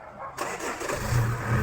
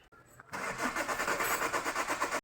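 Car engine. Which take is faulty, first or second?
second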